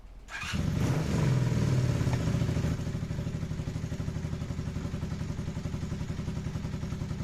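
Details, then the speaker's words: Carburetted motorcycle after idle adjustment screw correction, previously revving high and slow to drop: quick throttle blip, then revs fall straight back to a steady even idle thump of about four beats a second; now idling properly. "actually like idles at a proper idle. It comes back down when I rev it. chat. It's amazing. It's actually so much better now, chat."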